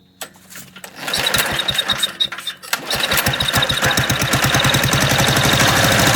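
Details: MTD walk-behind lawn vacuum blower, unrun for about three years, hot and restarted without choke: it catches and runs rough with loud, uneven popping at about four beats per second; cause unconfirmed.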